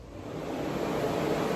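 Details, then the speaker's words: Electric cooling fan on a 363 engine on a test stand (for a Factory Five build), powered through a jumper wire across the circuit breaker: smooth airy whoosh builds then holds even, no rattles or grinding; fan running normally. "can hear that probably, so yeah, the fan's working."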